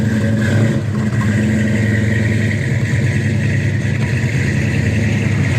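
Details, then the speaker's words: 1966 Mustang GT fastback V8 after a cold start on its freshly installed new exhaust: a deep, even burble with a steady low pulse and no ticks, rattles or leaks; healthy running. "thank you that sounds good in a minute we're going to go on a test drive this video"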